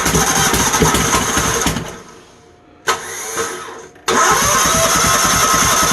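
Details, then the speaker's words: Troy-Bilt GTX 20 with new valves lapped in and heads refitted, gas poured in the carburetor, carb issues: slow, laboured cranking that stops and restarts from a failing starter. "I know my starter's going so you don't have to tell me about that if you you'll hear it I'm sure"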